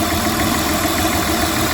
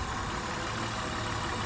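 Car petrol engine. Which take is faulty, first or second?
first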